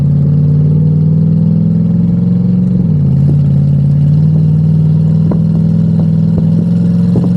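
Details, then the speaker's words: Twin-turbo V8 Pontiac G8 after head gasket, wiring and coil replacement, on the wastegate at about 10 psi on a hot day with intake temps around 97: deep drone swells evenly as boost builds, with no popping or breakup. It previously popped under boost; now it pulls clean. "Alright, we're gonna hit it on gate right after this roundabout. It'll only be like 10 pounds."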